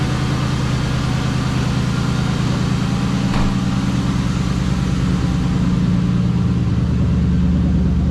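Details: 1996 Ford Mustang GT V8 after replacing spark plugs, wires and coil packs, cold air intake refitted: steady, even idle with smooth low rumble, no stumble, miss or tick; running healthy.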